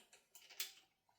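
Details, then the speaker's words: AUTOONE 6000A jump starter clamped onto a Honda Civic battery, positive then negative: quiet ticking, then one sharp relay click as the indicator goes solid. The jump starter is engaged and ready to crank. "And it goes solid, as you can see. You hear it click. Should be ready to be able to fire up now."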